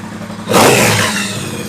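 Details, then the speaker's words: Triumph Bonneville Bobber 1200cc twin, rough running fixed by replacing slightly cracked spark plug caps: idle rises into a sharp, clean rev and falls back smoothly without bogging or stumbling; running healthy. "that good yep right so yeah that seems to fix the problem"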